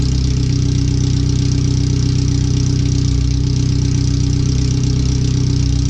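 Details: First startup after new header, fuel filter and differential work, O2 sensors and wiring rerouted: loud, raspy, steady idle with deep even beat about three per second, exhaust open straight after the header; computer read 5–7% rich at idle.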